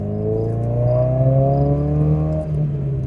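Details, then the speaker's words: Newer Subaru WRX, equal-length exhaust losing the older Subaru rumble, light throttle driving; smooth deep even drone rising gently as the car pulls, no rasp or rattle. "They've got equal length exhaust systems, so they lost some of that Subaru rumble that was partially due to the unequal length headers on all the previous generations."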